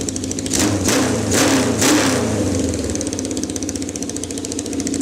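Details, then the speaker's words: 1979 Kawasaki KZ650 bobber: a few throttle blips, then an uneven, hunting idle that never settles; torn boot on the number four carb leaking vacuum, making carb sync hard; boot replaced. "ended up one of the carb boots had a rip in it so we changed that really quick we're having a problem sink in the carbs because that number four carb was was leaking vacuum"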